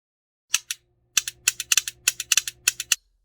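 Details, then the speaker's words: iPhone 7 Plus vibrating: sharp tinny clicks and rattles in quick bursts as the Taptic Engine flops around inside whenever the home button is pressed, because a screw without threadlocker vibrated loose. "that taptic engine is just flopping around inside every time the home button is pressed it sounds pretty neat looks like a screw got vibrated loose"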